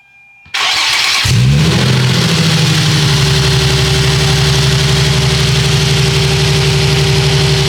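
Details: 2007 Nissan 350Z HR, first crank after fuel damper replacement: the engine catches briefly and settles into a smooth, even idle with no misses or ticks, while being watched for fuel leaks as pressure builds.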